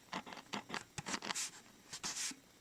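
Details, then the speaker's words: 1959 Fender Bassman after correcting heater wire phasing and fixing the rectifier tube: first chord blew one speaker, now irregular dry scratching bursts with no bass from sporadic voice coil rub on one side. "I guess the amp is so strong now that first chord I hit blew this speaker at least I got voice coil rub now hear it"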